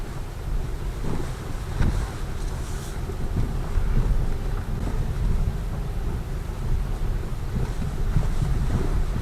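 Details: Lada Vesta Cross at 9,084 km after a warranty replacement of the right shock absorber: low cabin rumble and wind over a bumpy road, with no sharp knocks from the front suspension.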